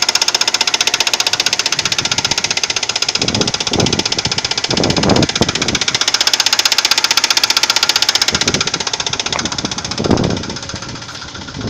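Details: Audi 80 2.3 engine: sudden, fairly loud, regular metallic knocking about four per second over the running engine; cause unknown, owner asks for possible causes.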